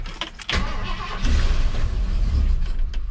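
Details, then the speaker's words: 1978 Ford F100 with Holley system, started after reassembly: it catches and runs lumpy with uneven heavy thumps, a heavy misfire. Owner suspects a bad pickup coil or a small part broken during the work; not confirmed. "oh yeah we got a heavy misfire that does not sound good at all either that pickup coal is bad"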